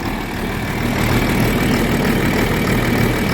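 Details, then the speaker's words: John Deere 4430 tractor diesel after replacing a fuel filter with a cracked, leaking housing: steady, even idle with a low regular beat, no misses or knocks, running cleanly; normal diesel idle. "it really runs 10 times better than the 7140 when you change the fuel filter on that it wouldn't even stay running"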